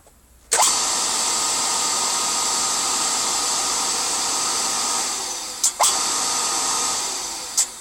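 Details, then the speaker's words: Cleaned 240–250 V AC motor with capacitor start: spins up to a steady hum with airy fan hiss; sharp clicks are the centrifugal switch disc opening at speed to disable the start capacitor, normal start-up. "can you hear that clicking that's to uh start the capacitor off and then when it gets to S RPM the uh the disc on it just opens out like and disables the capacitor when it's onto its Run Cycle"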